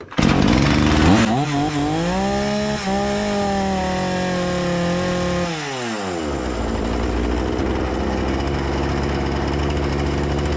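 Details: Husqvarna 236 chainsaw that stalled at idle, after carburetor service and adjustment: snaps up to a high steady scream, holds, then drops cleanly to an even idle without stalling; idle setting back to normal: normal idle and revving.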